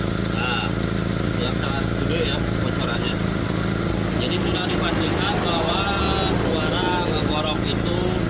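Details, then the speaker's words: SS pickup at idle: a steady, low, hollow drone with no knock or tick, from the worst exhaust leak, a very large hole at the rear underside of the pipe. The fix is to weld the exhaust at an exhaust shop. "Nah, ini yang paling parah ini yang paling parah, yaitu di belakang. Di bawah ada kebocoran yang sangat tinggi."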